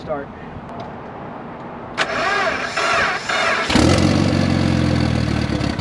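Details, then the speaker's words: Turbocharged car with unstable idle; cause found to be a failing, sticking idle air control valve. Starter whirs briefly, then the engine catches and settles into an uneven idle. "it is the IAC seems to be failing when I tried to push it in and start it up to see if it would actually push in push out"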